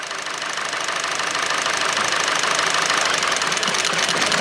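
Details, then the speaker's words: Hyundai/Kia 2.0 petrol four-cylinder after timing chain replacement idles unevenly with a loping beat on two cylinders. It nearly stalls when the number 4 coil is unplugged, while unplugging another coil changes nothing, revealing a dead cylinder. "See how the engine wanted to shut off? Let me show them again. See how I want to get worse?"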